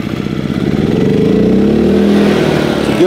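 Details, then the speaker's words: 2000 W suitcase-style generator with Yamaha MZ80 engine after carburetor cleaning and tune-up, plug gap checked, started on choke with spark arrestor removed: catches quickly and settles into steady even run, no hunting or surging; normal start. "good sign, fires right up."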